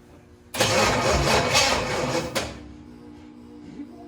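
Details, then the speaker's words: Chevy 283 V8 in a 1974 Nova, first start attempt in 50 years, on battery boost: nearly two seconds of uneven cranking, no catch, then silence; spark, fuel and compression seen, owner suspects timing/firing order wrong. "we know we got gas we know we got compression so there is no reason"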